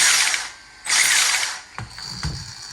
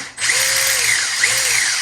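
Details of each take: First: 1/10 Holden VE SS Ute RC car after a brushless motor and ESC replacement: fast, high-pitched ratcheting clatter in bursts over the motor, because loose wiring is catching the cooling fan blades. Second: 1/10 Holden VE SS Ute RC car with a replaced brushless motor and Hobbywing ESC; the belt drives all the wheels. Electric whine rises and falls twice with throttle, smooth with no clicks or grinding; normal belt drive operation.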